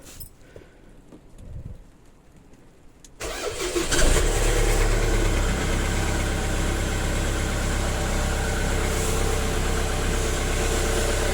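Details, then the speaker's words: Jaguar after a new crank pulley was fitted to cure a nasty noise: quick start settling into a smooth, even idle with no squeal or knock. The noise is gone; the crank pulley was the cause. Normal idle. "yay happy days it was the horrible crank pulley okay I'm happy that's all done and dusted sounds good"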